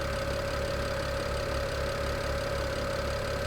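Smooth even warm idle with a constant mid-pitched hum and a soft steady pulse, no knocking or misfire; engine sounds healthy.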